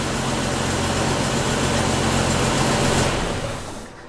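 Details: 1993 Jeep YJ after repairing a failed Crown Automotive fuel pump unit hose, fuel pressure 40 psi: even, steady idle with a smooth low hum, no misses, then winds down cleanly at shutoff. Pressure bleeds off because there is no check valve.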